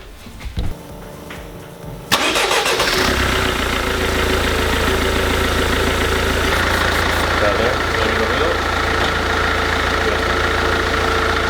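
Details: Mercedes Vito/Viano diesel after water pump replacement, front grille not yet fitted: starter cranks briefly, engine catches after about two seconds and settles to a steady even idle with no whine or knock; earlier odd noise gone.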